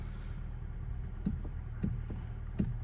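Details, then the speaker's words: 2013 Hyundai Elantra GT, 6-speed manual, engine idling: low steady idle with a dull knock about every half second to second from the steering column, a worn steering coupler, heard and felt while driving and braking; first suspected suspension. "You can only hear and feel it when you're driving it and also when it's running condition. So this is the running condition."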